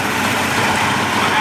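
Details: 1988 Mercury 70 hp inline three-cylinder two-stroke outboard in a test tank after carburetor work, with clean fuel now reaching it. Even, steady buzzing idle with no misses or knocks. Normal idle.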